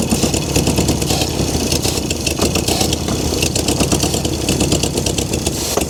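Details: 1971 VW Beetle barn find after long storage, first start attempt with choke closed and starter fluid; ragged, uneven firing with sputters and pops as it tries to catch; rough start, cause not pinned down.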